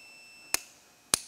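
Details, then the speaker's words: Honda CBR 600RR starter relay tested with battery disconnected and a multimeter on continuity across the poles while pressing the starter switch: two crisp relay clicks about half a second apart over a steady meter tone; relay making contact normally. "and then you know that you're making contact back here because you can hear it clicking back and forth"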